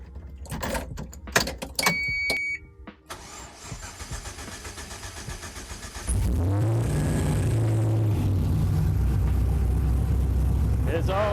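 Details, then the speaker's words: LS engine first start on a new HP Tuners Core standalone ECU loaded with a stock map, data-logging in VCM Live: a few clicks, crank, catch, then a steady, even idle with a slight hunt; sounds healthy, normal idle. "here you can see as the engine is idling, you can see VCM Live is data logging all the necessary data. Ah, that sounds good."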